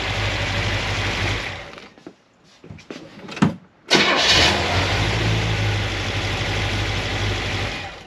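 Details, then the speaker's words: 1976 Corvette V8 after binding roller rocker trunnions were fixed. Not yet warm, gauge just over 100°. It catches into a steady, even idle with light valve chatter, then a few clean revs, far quieter than the earlier racket: normal. "it's not supposed to make a loud racket this sounds way better it's still not even warmed up"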